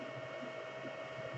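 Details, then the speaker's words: Anycubic Chiron printing, TMC2208 in SpreadCycle driving the single 1.8 A Y motor of the heavy 410×430 mm bed: steady fan hum with faint constant tone, no motor or driver squeals; faint beeps come from the extruder, which has no TMC2208. "not the motor, not the driver running it, not the motor running, no squeals, and that's all I actually wanted, because the printer already printed good, as all my other videos said."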